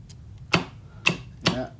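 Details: Star/delta starter controls on an FX5U PLC, after tripping and resetting the motor protection switch: four crisp, separate relay clicks about half a second apart over a quiet background. Relays switch cleanly, as they should.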